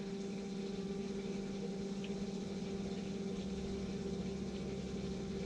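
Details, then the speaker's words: VW Crafter camper hydronic underfloor heating: the circulation pump hums steadily with uneven watery rushing and gurgling underneath. Air is still trapped in the pump, being purged by opening and closing the clarifier valve. "still sounds like there's a bit of air in the pump though can you hear it still you can hear the water you shouldn't be able to hear it"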